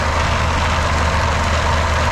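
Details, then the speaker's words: PT Cruiser GT 2.4 turbo race car on jack stands in first gear: steady engine drone with a rough, gritty whirr, like a blown gearbox gear, but the transmission is fine. Stripped passenger-side CV axle splines, open diff, wheel not driven. "Now it sounds horrible. You hear there, it sounds like a complete gear has blown up in the trans, but the trans shifts like bu"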